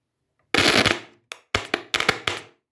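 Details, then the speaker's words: Yamaha A-460 stereo amplifier, right channel, after 20–30 minutes of warm-up: loud pops and crackling from the speaker with the protection engaging, caused by bad solder joints on the STK3042 MKII module; fixed by resoldering its terminals. "And you can hear also the protection. The protection is Yeah. So you see it started to be very very noisy."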